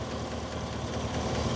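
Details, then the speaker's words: 2017 Chevy Silverado 5.3 V8, warm after about 10 minutes of running, no misfire, quiet when cold: a light, fast tick over the idle, keeping pace with engine speed. A lifter or rocker fault is suspected. "when it was cold I really didn't hear anything now it's been running for a little bit I definitely hear something nothing to see though but you can hear it"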